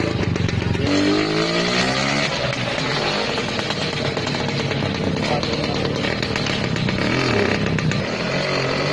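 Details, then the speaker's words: Restored vintage Lambretta two-stroke scooter engine given throttle: crisp blips that climb quickly and fall back to a steady idle; revs freely and cleanly. "Son du moteur de la Lambretta Donner de l'accélérateur à la lambretta"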